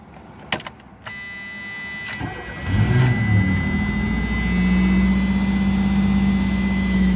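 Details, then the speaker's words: 1985 Pontiac Firebird, sat for a couple of years, completely cold; owner notes the idle usually bounces between RPMs; starter cranks briefly, engine catches cleanly and settles to a steady idle with faint belt whine; healthy cold start. "And there you go. She sounds real good."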